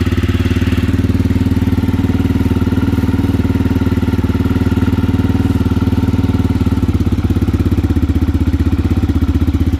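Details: Aprilia motorcycle engine after installation, first start once the carburetors were primed: strong, even low thump of about three beats a second at a clean, steady idle with no knock or rattle; slight smoke from exhaust sealer burning off.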